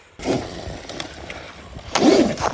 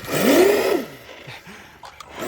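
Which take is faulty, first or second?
second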